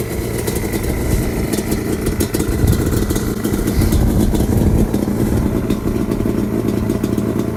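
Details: Yamaha Banshee two-stroke quad with FMF exhaust, after sitting 14 years, before teardown: popping idle with a few revving blips that climb and fall back; runs, but sound alone doesn't show inner wear or power.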